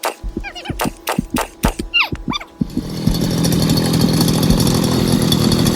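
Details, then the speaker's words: Bushwhacker two-stroke unused about 2–3 months, failed to start last time; switch on, primed: several sharp pull-cord yanks with brief coughs, then catches into steady buzzing run; hard starting, needed throttle while pulling. "Finally, you had to kind of throttle it while you're pulling it. But it's hard to do because the throttle"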